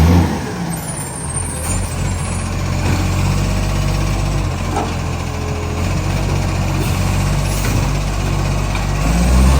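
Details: Garbage truck, a big diesel, idling with a rough puffing pulse about four times a second from an exhaust leak.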